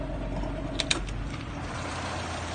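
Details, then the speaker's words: Mazda 1300 5-speed car, year-34 registration, idling with the air conditioning just switched on and compressor running: steady even low rumble with a couple of light clicks; smooth normal idle, AC blowing cold. "อ่าเดี๋ยวจะเปิดแอร์นะครับจะได้ยินเสียงคอเทำงานนะฮครับทำแอร์ทำงานแล้วนะฮะลมออกนะครับแอร์เย็นนะฮะแอร์เย็นนะ"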